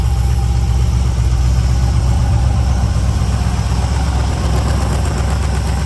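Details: 2003 LM4 aluminum 5.3L Gen 3 LS V8 on test stand with Holley dual-plane carb intake, plenty of fuel in the bowls, idle cranked back up: deep, steady burble about four pulses a second with slight lope, no ticking or knocking; tone preferred over Flowmaster; normal idle.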